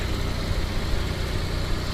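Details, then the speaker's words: Onan RV generator restarted after an oil change (about 4 quarts to full), with new oil, fuel and air filters and the old spark plug: a loud, even low drone with no knocks or misses, running normally. "Yeah, 4 quarts brings it up to full. So let's start it up again."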